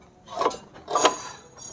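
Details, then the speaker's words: Steering rack knocked to simulate rough roads: two dull, hollow clicks about half a second apart from a worn plastic rack mount bushing letting the rack shift. "ketika sini dipukul Oh seperti itu Nah disini terdengar suara klik"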